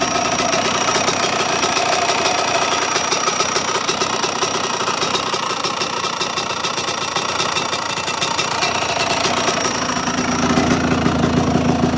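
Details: Small motorcycle engine with new piston and water pump, only a couple of warm-ups done, no crank play, idling with a busy rattling clatter that deepens and knocks more as it revs; strange noise, cause unknown.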